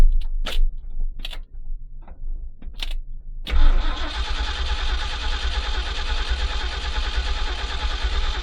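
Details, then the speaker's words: 1970s Ford dentside ramp truck, sat about 10 years, being fitted with HEI ignition: a few clunks, then about five seconds of steady cranking that never fires; owner suspects the rain-soaked ignition module is bad. "So I guess this module that was out in the rain is no good now."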